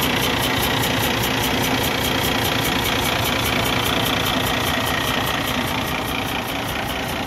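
Diesel idling with a steady, even puffing tick about two and a half per second over the clatter: compression blowing into the exhaust.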